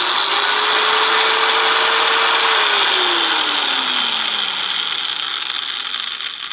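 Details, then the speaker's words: Utility trailer build, gear drive just greased after previously grinding; even whine then a smooth coast down with no grinding or gritty catch, normal running after greasing. "Now with the grease in it, it sounds of course I should have put it on before, but sorry about that."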